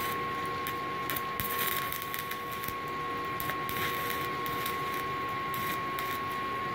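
Steady, even crackling sizzle of a stick arc with a constant faint hum and no harsh pops; a smooth, stable weld.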